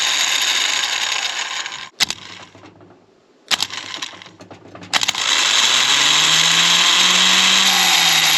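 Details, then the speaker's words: Starter motor bench-tested after being freed with a hammer from a stuck, clicking-solenoid state: it whirs fast with a working Bendix but sounds harsh and rough. "it spins fast it doesn't sound great I admit"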